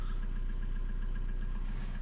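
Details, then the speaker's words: Old TDI 90/110 hp with rotary injection pump, cold engine in rain, after tapping the quantity adjuster: steady even diesel idle at about 2 mg injection quantity, running nicely; owner suspects a cracked pump seal ring. "widzicie jesteśmy chodzi ładnie dawka widzicie 2"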